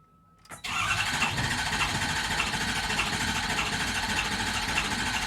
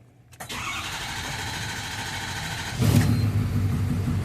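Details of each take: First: Ford 6.7 Powerstroke diesel: steady fast cranking at about three turns per second for roughly eight seconds, and it never fires; crank no start, suspected number three injector opening too much and returning fuel. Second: Ford 6.7 Powerstroke diesel after a fuel-system return test traced rail pressure loss to the number three injector: it cranks briefly, catches first try and settles into a steady, even idle; normal start.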